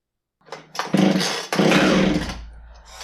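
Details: Husqvarna 465 chainsaw the customer believed needed a carb, but it didn't: crisp throttle blips rising to a clean high buzz and dropping back to a steady idle; the saw runs normally.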